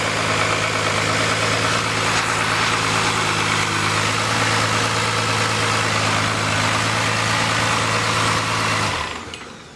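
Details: 1986 Ford truck with a swapped Cummins diesel drivetrain: even, steady diesel clatter at idle with a firm low drone. The engine dies quickly once the fuel solenoid is unplugged, showing the solenoid works. Runs healthy.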